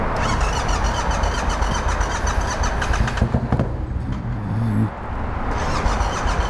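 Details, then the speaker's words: Yamaha MT-07 motorcycle with one cylinder not firing and flooded with fuel, possibly fuel in the intake; earlier backfired through the intake. Engine catches and runs lumpy and uneven with stumbling pops, still spitting fuel. "So Jake's bike has a cylinder that's not firing, and it loaded up with fuel."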